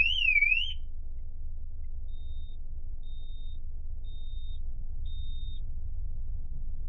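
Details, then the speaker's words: TD5 Land Rover Defender during parasitic battery drain testing: brief rising and falling alarm siren cut off, then high single beeps about once a second, alarm triggered by movement inside the car as designed. "And there's the alarm. That's me moving in the car."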